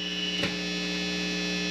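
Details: Steady low mains hum with a buzzy high-pitched edge from a ground loop in a USB audio mixer setup, present even with the connected PC switched off, changing as cables are unplugged.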